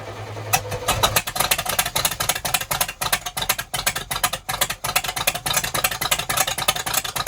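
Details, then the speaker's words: Sportscoach RV, 454 big-block V8 with carburetor, after sitting 12 years: lumpy loping uneven idle; flooding suspected from the fuel pump pushing past the needle and seat, not confirmed; a stuck butterfly was later found. "I uh I unhooked the fuel pump to see if it was pushing through that carb. It might be pushing through that needle and seat and flooding it while it's running."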